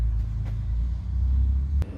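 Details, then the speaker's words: Eberspacher diesel heater just installed in a 2021 Mercedes Sprinter van: low steady rumble with faint fuel-pump ticking as it lights and settles into a quiet, even run blowing hot air; normal start-up. "All right, you hear that? That's good news. Our heater is working. Listen. This thing is very quiet, but it's pumping, oh yeah, hot air."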